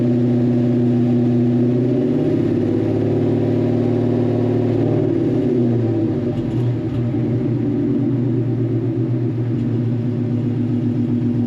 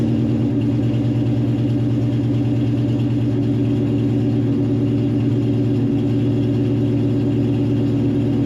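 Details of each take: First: Foxbody restomod V8 idling with a deep, lumpy but steady, even note, running very rich. Exhaust leaks are present, but there is no knock or tick and it runs fine. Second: Foxbody Mustang restomod idling with a steady, low, lumpy beat and slightly uneven rhythm, no clear knock; running very rich, likely over-fuelling at idle; exhaust exits the tailpipe, though known exhaust leaks remain.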